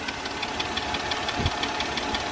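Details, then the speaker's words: Mercedes W211 with M112 engine idling: light, crisp ticking about six per second from both cylinder heads, appeared a month ago and grew louder; recorded before changing to thicker 10W60 oil. Top-end tick at idle. "Сейчас я заведу, послушайте, как этот двигатель цокает. 112-й мотор. Вот. Вот такой звук. Звук идет, значит, мы его слушали в наушниках таких электронных с удочкой. Звук идет из головы."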